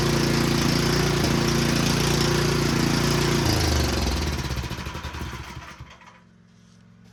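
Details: Small single-cylinder snowblower engine, bought used and just revived, thumps with a hunting, uneven beat, then sags and dies. The rough running is undiagnosed.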